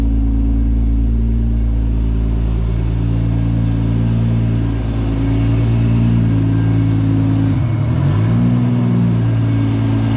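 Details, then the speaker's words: Top Secret Supra GT300 after engine rebuild, road test under load around 1,000–1,500 rpm after street tuning: loud, deep, steady exhaust drone with one brief rev dip that recovers cleanly; smooth and healthy. "try a load here one and a half thousand one thousand to 100 revs slightly quite nice yeah it's driving much smoother now"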